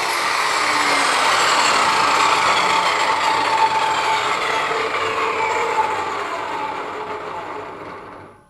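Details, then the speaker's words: Worn-out 10-11 year old Ryobi RTS20 table saw, switch melted: loud harsh whine with rough buzzing edge fading as motor spins down; far noisier than it should be, cause unclear. "the safety switch here let's see i'm gonna plug it first it's easy to turn on hard to turn off because the other switch uh melted wore out and melted now listen to this thing that's"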